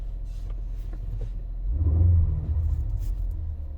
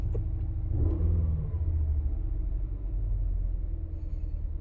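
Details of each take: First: 2016 Ford Explorer 3.5L EcoBoost V6 after spark plug replacement and clearing codes: low, even idle rumble with a brief mild swell, no stumble or misfire beat; running smoothly, though check engine light still on. Normal idle. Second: 2016 Ford Explorer 3.5L EcoBoost V6 after spark plug change: uneven stumbling idle, misfire from ignition coil number 2 left unplugged; fixed by plugging it in.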